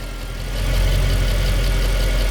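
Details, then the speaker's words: 2008 Mercedes CL63, 93k km, hydraulic suspension/power steering pump check; low steady V8 idle that deepens and grows louder about half a second in as the hydraulic pump takes on load. "Lift it a little bit up. Go. Let me film it. Fil it. >> Yeah. You You hear that's loaded."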